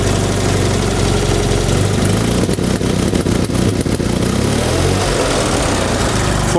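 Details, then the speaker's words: 1974 Fiat 500 two-cylinder engine at rough idle: sharp irregular pops in a cluster over a couple of seconds; misfire popping back into the intake, suspected bad condenser or ignition points firing at the wrong moment, unconfirmed. "also dieses knallen heißt eindeutig und der schießt auf jeden fall in die brücke reihen"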